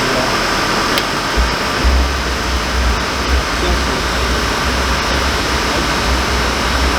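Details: Motorhome furnace blower run to check a suspected fan rub from motor movement: a steady airy whoosh with a faint high whine and no scraping or rubbing. No rub is heard, though a stiffening brace is still recommended.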